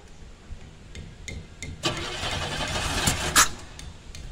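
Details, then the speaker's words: 1990 Camaro RS, first crank after sitting 12–13 years with new fuel pump and sending unit: ragged, uneven pops and sputters never settling; misfire because plug wires were crossed (firing order wrong, 3 and 5 swapped), later corrected. "dude the hell don't sound good I don't know if I can do this"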